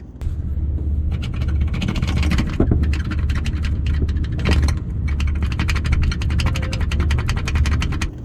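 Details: 2022 Toyota 4Runner driving after splash guard modification fixed rattle first thought to be dashboard or headliner: steady low road rumble, faint ticks, no flapping or rattling; underbody quiet now.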